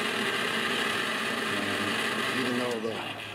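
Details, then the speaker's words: Blower fan on a 1986 Four Winns 170 Horizon boat with 3.0L Mercruiser, first powered after winter storage: steady high whirr with a gritty, scratchy edge trailing off at shutdown; blower works but sounds crunchy. "blower sounds a bit crunchy, it works, so we've got power."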